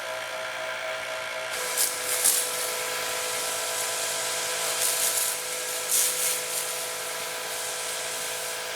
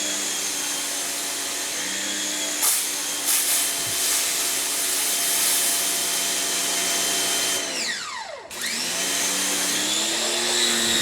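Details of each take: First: Electric pressure washer on test, running 3.0 to 2.5 nozzles at about 750–800 PSI: smooth, constant hum with steady pitch, no knocking, grinding or surging; pump sounds healthy. Normal running. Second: Electric pressure washer in a comparison test (Adam's Pro, AR 675, Kranzle KWS700, Sunjoe SPX9006-PRO): steady high motor whine with a mid-clip pitch dip and recovery as the pump surges from air in the line.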